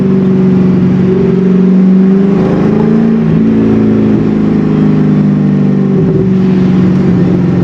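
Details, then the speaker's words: C5 Corvette, manual, hot day, pulling away from a light after the intake was reinstalled; clean even pull, pitch climbing smoothly through the gear, no misses or odd noises; running right. "the car is running fine now that i um now that i did that put the intake back on it's peppy it's running good"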